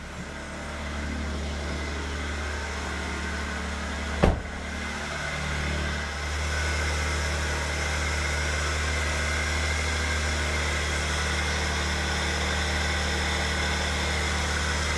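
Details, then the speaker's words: Toyota Soarer 2JZ engine, neglected 10 years, just restarted after priming the fuel pump: smooth, even low idle with a steady beat, no knocks or misses after a brief click; healthy idle. "oh yes that is glorious that is beautiful"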